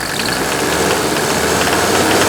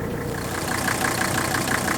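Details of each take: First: Mercedes W126 300SD diesel revved with the hood open: a hard metallic clatter rides over the engine note and rises with speed. Injector nailing, probably from old fuel (suspected, not confirmed). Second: Mercedes W126 300SD diesel idling with the hood open: fires quickly, vibrates a lot (suspected bad motor mounts), with an even, crisp clatter and firm pulses about eight per second. Sounds healthy with good compression.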